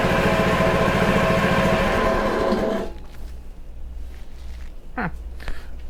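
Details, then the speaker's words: Honda HRC216 commercial-grade mower, in cold weather, after sitting in storage with a suspected stuck float; the engine catches, the choke comes off, and it settles into an even, steady idle, with smoke still clearing. It starts and idles normally. "well it idles it starts choke comes off so far so good"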